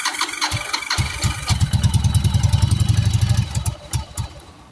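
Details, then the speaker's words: 1996 Yamaha Virago 1100 V-twin, just fitted with a new battery, cold on choke: catches and chugs unevenly, pops and stumbles, then dies away; fuel leaking, owner suspects a busted gas line. "Busted a gas line here, it looks like. No wonder why she's spitting and sputtering."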